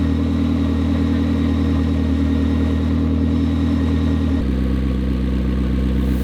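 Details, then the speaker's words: McLaren P1 after a 3.8L to 4.0L engine conversion, with engine refresh, ECU tuning and GT-R coils with changed dwell times, first start-up via hybrid drive; steady, even V8 idle with a smooth low burble and a slight dip in note, no knocks or misses, normal idle. "Well, that was very uneventful. Cuz it's going to hybrid drive mode, or it starts up so much faster than a regular um engine with a starter motor."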